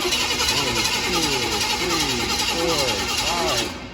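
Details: Gas engine during compression test, battery on 10 A charger: even, rhythmic cranking pulses about three a second, steady then stopping; cylinder reading steady at about 125 psi, healthy.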